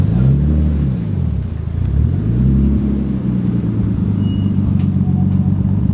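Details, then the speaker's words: Nissan R33 Skyline GTS-T on a test drive with a newly installed Link G4X plug-in ECU running the base map, before tuning: a low, even engine drone swelling smoothly through the revs, no knocks or misses; it drove super smooth. "Alright, so we've just taken Zach's car for a test run. Went really well on the base map. Drove super smooth, so..."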